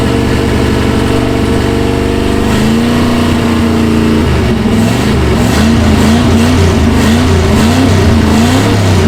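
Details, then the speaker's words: 1966 Ford Galaxie 390 big-block V8 just started after sitting 35 years, new plugs and charged battery, no gearbox: burbles unevenly with wavering revs and blips that never settle; running rough, misfiring. "wow runs like crap but after 35 years runs wow you beauty"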